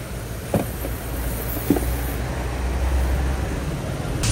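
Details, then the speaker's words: Subaru Forester at idle with A/C on after refrigerant recharge and compressor oil added: smooth, low, even hum, no grinding or rattle; earlier loud compressor noise is gone. "basic na basic lang yung ginawa natin nawala na po yung ingay"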